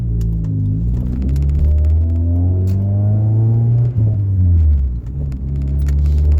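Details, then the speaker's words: Honda Accord CD5 with a cheap 2 3/8-inch cat-back exhaust, no muffler or resonators, only the catalytic converter: deep booming drone fills the cabin at steady highway cruise, swelling slightly with throttle. "So we'll get some inside shots. There you can hear the drone. I don't know if you guys can or not."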